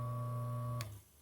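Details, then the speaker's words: Maytec fan motor after repair, run on first speed: the shaft previously would not turn and made noise; now a clean, steady, bright motor hum, then a click and quick fade as it stops; shaft spins freely with no rubbing. "Miren, ya está funcionando. Ya no hace el ruido y la flecha ya gira libremente."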